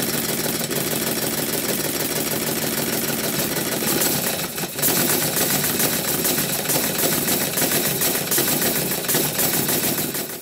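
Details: Model triple expansion steam engine with a sloppy reversing shaft, run at varied feed pressure: rapid, even clatter of valve gear and piston beats with hissing exhaust; runs steadily and responds to pressure, a bit slowly.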